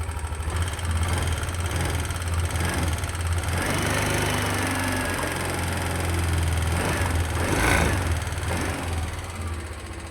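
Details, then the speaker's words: Yamaha Aerox Connected scooter, noisy since running out of oil, with a vibrating handlebar. Rough idle with a fast metallic clatter over a low drone; it sounds smoother at high revs once VVA engages. Oil starvation suspected as the cause. "Dan untuk keluahan utama motor ini suaranya berisik. Suara berisik terus sama stangnya juga ini enggak enak nih getar-geter. Kita coba nyalain. Suaranya kemeletek."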